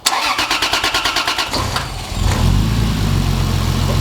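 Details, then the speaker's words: Turbo Lexus IS300 first start after fitting 1200cc injectors and a Hellcat fuel pump run through a solid-state relay. About 1.5 seconds of even cranking, then it fires into a steady, smooth idle with no leaks seen. "It runs. I'm glad. I didn't I didn't see anything leaking at all."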